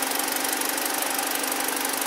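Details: 2012 BMW 318i, about 52,000 km, idling after misfire repair: coolant 48°C, oil 42°C, battery 14.8 V; steady even idle with smooth uniform pulse, no stumbles or skipped beats; engine now runs perfectly, no more misfire.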